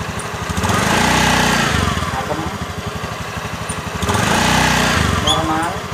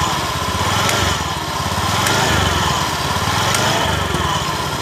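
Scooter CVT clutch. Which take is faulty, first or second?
second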